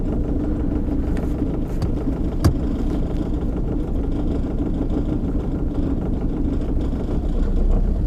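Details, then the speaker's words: 2003 Johnson 70hp four-stroke outboard idling out of gear in warm-up mode, not yet fully warm: steady even low idle rumble, no knocks, misses or surging; runs great, normal warm-up idle. "gear but we'll uh let it warm up just a little bit see you can see like it's not in gear I got my tub you know anyway runs pretty good runs great"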